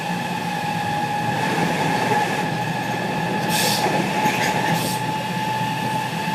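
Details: JR West 207 series 1000 T17, recorded aboard KuMoHa 207-1037 (Toshiba GTO inverter), Tokuan–Kōnoike-shinden, iPhone 5s: two slightly mismatched inverter pitches beat over wheel and track noise, as the Nishi-Akashi/Shin-Sanda-side modulation is out of step with the Kyoto/Kizu side.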